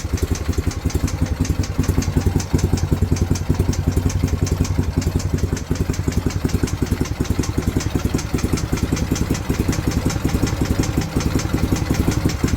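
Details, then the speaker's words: BMW R51/3 boxer twin motorcycle idling after carburetor slides reset to rise evenly, both cylinders firing: steady idle with crisp even tick about three per second; owner suspects big end, small end or cam followers. "But that ticking is something I really feel I'm going to need help with. But as you can see, the idle is pretty good."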